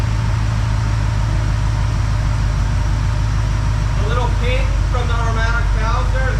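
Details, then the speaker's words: 1969 Plymouth Fury III: deep, steady rumble with no tapping from the top end anymore. Normal running. "it actually sounds good now after that I have been babying it I've been driving it for about a week"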